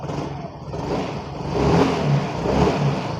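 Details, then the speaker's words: Yamaha Fascino BS6 scooter whose self-start and ignition had failed: with the side stand down it died and would not crank, caused by one small cut wire. After the fix it self-starts on the key, catches cleanly and rises smoothly through throttle blips. "Key on பண்ணிட்டு bike பக்காவாக"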